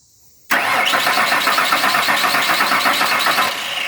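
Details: 1998 Ford Ranger 4.0 with a new fuel pump and a gauge fitted to check fuel pressure (should be 40–50 psi, reads 53): strong, steady cranking about four beats a second with no skips or grinding; normal cranking.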